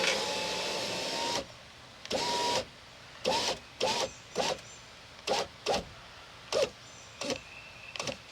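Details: 2001 Chevy Silverado (GMT800) rear window after replacing the wrong regulator and fitting a new Dorman window motor: one long smooth motor run, then about ten short even bursts of clean whine with no grinding or binding; window operates normally.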